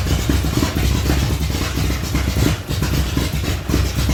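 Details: 1975 Datsun 280Z with a swapped 358 small-block Chevy V8 on a home-built Megasquirt MS3X, first start in over four years after wiring fixes. It fires and runs on its own with choppy, uneven exhaust pulses and some clatter: normal idle.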